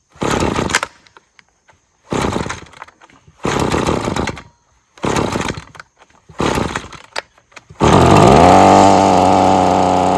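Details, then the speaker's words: Husqvarna two-stroke string trimmer with sticking trigger that keeps cutting out, fuel possibly stale: short choked bursts, then a strained, sagging drone; bogs at full throttle turning the line, dies below half throttle, carb issues suspected. "Yeah, it just wants full throttle on. And you hear how buggy it is? That was at full throttle. Trying to turn that string."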